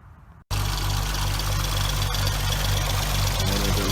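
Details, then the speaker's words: 2006 Hyundai Tiburon 2.7 V6 with a six-speed manual, after replacing the hydraulic lash adjusters, timing belt and water pump: steady light ticking about four times a second over an even idle. "2006 under on infamous lash adjusters ticking noise we're going to start removing the valve covers in teh model body and try to repair these flash adjusters we have a problem of getting clogged up not getting oiled correctly making a loud ticking noise"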